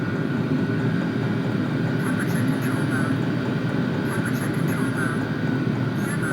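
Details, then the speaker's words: Vevor toolbox diesel air heater in an enclosed trailer, warming up: steady whooshing blower hum over even low combustion rumble, no surging; normal running. "So, I can feel the exhaust coming out. You could actually hear it. So, I'm just going to let it run and let it heat up."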